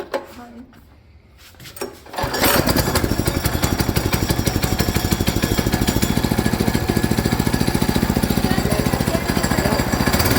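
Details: Go-kart repowered with a new Harbor Freight Predator 6.6 HP 224cc single-cylinder engine, choked, test run before break-in: pulls over and settles into a steady, even popping run at about 3.5 firings a second; sounds healthy.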